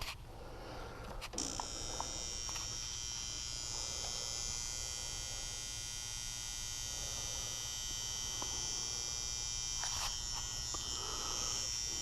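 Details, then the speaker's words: Garage furnace with a loud noise traced to the transformer on the fan control center, beside a relay: steady electrical buzz with hiss on top. Moving a part brings a wavering noise. "And right now, that's where I'm hearing it come from. So the noise seems to be coming from this transformer here."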